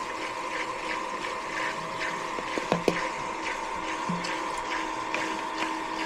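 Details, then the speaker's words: Old condensate pump in an HVAC no-cooling call, plugged in to test: steady rough hum with gurgling watery rush as it pumps down; sounds bad, owner suspects clogged and decides to replace it; noisy condensate pump. "It's pumping down now. Sounds bad though."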